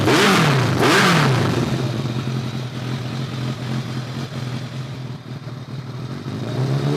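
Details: 2002 Kawasaki ZRX1200R with Keihin CVK carbs, sat a while, started with enricher: sharp revs fall back to a lumpy idle with pops on closing throttle; runs better but still afterfires, from a vacuum leak.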